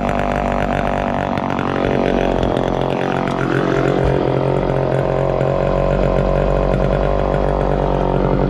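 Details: 1969 Homelite EZ Automatic chainsaw running after 20 years in storage: steady high buzzing two-stroke note holding even speed, no misfire or surging; running smoothly.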